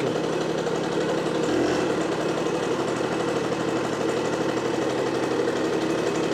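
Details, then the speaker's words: Automatic two-speed Tunturi Pappa two-stroke moped after spring service, carburettor cleaning and idle adjustment; steady, even low idle burble with no misses or hunting; runs cleanly. "Well, now the maintenance has been done and it started to work well"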